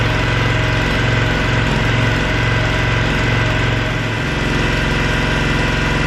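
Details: Cub Cadet log splitter, decades old, just refueled with a mixed fuel batch plus K100: small single-cylinder engine chugs at an even beat of about three per second with no misses; normal.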